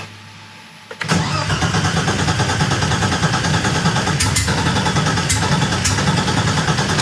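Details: Widebody E30 with a Megasquirt ECU, started with the fans and fuel pump running. Engine catches after a short crank and settles into a steady, even idle; a healthy start.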